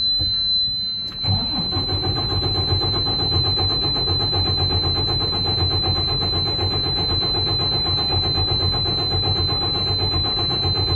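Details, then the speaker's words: DD15 diesel truck that drains fuel back to the tank overnight; after a corroded fuse was found and the key turned on with check-engine lights, the starter cranks evenly for ten seconds but it never fires. Later started on another try. Cause suspected, not confirmed. "Come on, Betsy. You need to start for me right now. Not happening."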